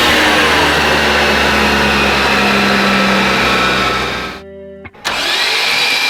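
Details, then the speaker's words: Built Honda on a dyno pull after 693 whp, out of injector: the engine screams at high revs, then the note collapses and cuts out abruptly; the timing drive lets go, the crank moves and compression is lost. "And this is where everything goes wrong. Listen closely at the end of the pull and you'll hear straight catastrophe."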